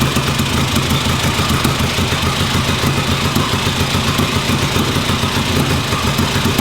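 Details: 1958 Ariel Huntmaster 650 twin on the bench, first run after purchase and checking bottom-end oil: loose, lumpy but steady idle with an even beat and no knocks; running properly.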